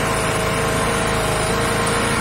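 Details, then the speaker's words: SYM XPro 125 motorcycle after fixing intermittent misfire/stumbling on throttle by replacing an old worn part; engine runs with steady, even purr, no stumbles or gaps, clean and smooth. "bura şu an çalışması gayet güzel otomatik şiddet evlerde sürece düşün"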